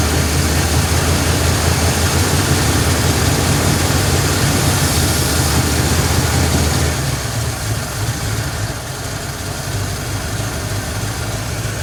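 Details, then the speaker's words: 1953 Ford Customline, flathead V8, three-on-the-tree, in neutral, first start after revival with carburetor bowl filled: deep, steady low rumble with even beat and no knocks or misses; normal idle, though a fuel leak appears. "Whoa, baby. Yeah. Listen to that thing. Holy crap."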